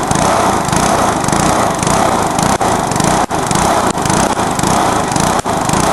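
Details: Briggs lawnmower engine deliberately run to destruction, with nitro added, after a backfire: maxed-out screaming roar with brief stumbles every second or so; over-revving toward failure.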